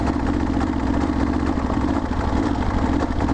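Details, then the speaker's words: Kawasaki KLR650 single that suddenly lost power on the highway, limping along: low uneven thumping that never picks up revs, barely chugging; owner suspects a fuel issue, maybe a slipped hose, cause unconfirmed. "I'm thinking it might be a fuel issue maybe a hose slipped off or something I don't know but it's just barely barely chugging along"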